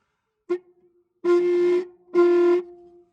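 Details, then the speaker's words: Horns from a 1965 Toyota Tiara under revival, one-wire horn powered directly, possibly both sounding together: two clear steady half-second honks, bright tone, no rasp or flutter; horn working normally. "so I guess maybe both partying at the same time pretty sounds pretty cool"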